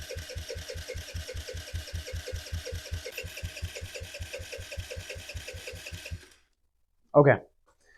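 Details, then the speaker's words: 2007 Kawasaki KFX50 four-stroke 50cc quad, after carb cleaning and main jet refitted, starter chugs about four compressions a second for six seconds without catching; owner suspects bad yellow gas, actual cause timing off from a sheared flywheel key. "it definitely wants to fire up but it's uh it's having some issues"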